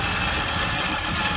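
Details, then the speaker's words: 1975 Ford Ranchero after starter motor replacement (new starting relay had not helped): starts easily, steady, even V8 idle with smooth low rumble, no knocks or misses. "running nicely the truck's still on"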